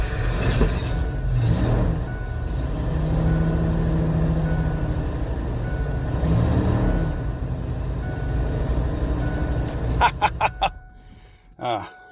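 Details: Abandoned 1988 Ford F350 dually running on a temporary fuel system after sitting for years: big engine settles into a steady low rumble with an even beat, holding speed; sounds healthy once running.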